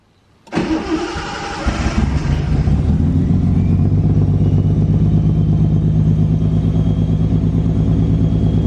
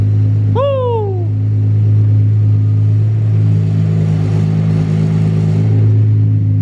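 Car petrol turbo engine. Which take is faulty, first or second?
first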